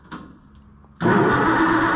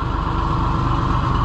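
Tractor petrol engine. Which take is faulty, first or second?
first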